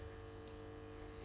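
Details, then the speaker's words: 12-volt battery charger connected to a battery-powered sweeper, switched on and charging: constant low electrical hum with a faint buzz on top, steady and unwavering; normal charging hum. "Make sure your charger is switched on and you will see this light. And you'll hear it"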